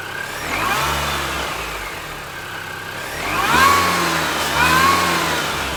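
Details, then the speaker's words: R53 Mini Cooper S first start after replacing rod bearings and rod bolts for a spun bearing: starts cleanly, revs rise and fall smoothly, settles to steady idle with no rod knock; bottom end sounds healthy. "oh all right so it runs it doesn't knock it sounds pretty good"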